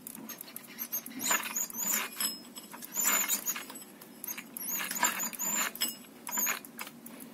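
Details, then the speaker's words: Engine with belt removed, heard both with and without the cover: high-pitched squeal in repeated bursts, rising and fading about every second; intermittent squeal, source unknown. "получается то возрастает утихает"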